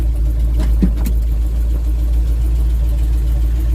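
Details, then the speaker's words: Simca Marmon 4x4 just after a fuel feed fix (fuel lines cleared, loose Jubilee clip fastened), started in gear: steady even low rumble with no knocks, misses or hunting, a healthy idle; smoke then appears from the battery box. "So, that started in gear there, and that sounds healthy,"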